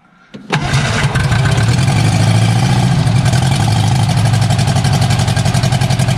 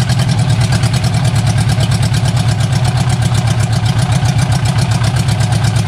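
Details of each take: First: Barn-find Austin-Healey Sprite engine, first start with chokes held, ignition hot-wired from battery, no exhaust past manifold: cranks, catches in half a second, settles into strong, even firing beat with no misses or knocks; starts and runs well. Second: Barn-find Austin-Healey Sprite, fuel from a jug, hot-wired ignition, no exhaust fitted, only the manifold: fast, even, loud blatting idle with deep low pulses; runs steadily but raw and open.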